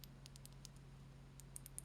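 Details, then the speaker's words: Razer DeathAdder Elite mouse, opened up for the stuck-button fix: crisp light clicks in quick bursts over a faint hum. The buttons register normally, but something appears to have been forced in, leaving a scratch, and there is dirt to be cleaned with IPA. "the buttons do actually work. Right, so that means then it does look as though something's been forced in there."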